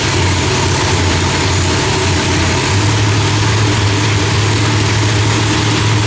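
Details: Deep, steady, lumpy big-cam idle with no pops, backfires or misses from the race engine, after the distributor trigger was changed from rising to falling to stop fireballs; timing was about 6° off (32° set); new heads, idle still being tuned.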